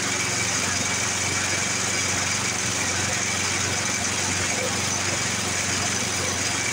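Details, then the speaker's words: 1982 Snapper Hi Vac mower, running after the suspect air filter was removed: steady single-cylinder run with a buzzy vibration; owner wonders if it has the wrong blade. "it's got a little bit of a vibration in her I'm wondering if this thing doesn't have the wrong blade on it"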